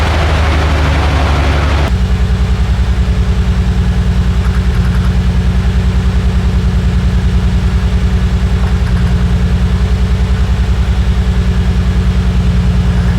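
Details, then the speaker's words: Nissan R34 idle: lumpy, with a steady low pulse and an uneven loping beat as one cylinder misses. The misfire was traced to a bad ignition coil on cylinder four from the front, found by swapping coils. "so hopefully you guys could hear that coil number four was ba"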